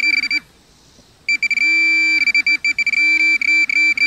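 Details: Minelab Pro-Find 40 pinpointer at max sensitivity with ferrous tone ID on: high steady beep breaks into quick warbling pulses as it nears a nail, the pulsing tone signalling an iron target.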